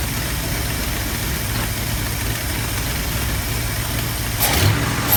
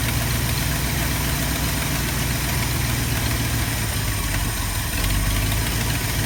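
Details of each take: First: 1972 Ford F250 360 V8 after installing a Pertronix Flame Thrower II distributor, new coil, cables and plugs: long, steady, low even cranking with no catch, refusing to fire. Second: 1972 Ford F250 with 360 V8 and four-barrel carburetor, after a Pertronix Flame Thrower II distributor, coil, cables and plugs install and idle mixture screw adjustment: low, steady idle with an even, unhurried lope and no misfire or stumble; normal idle.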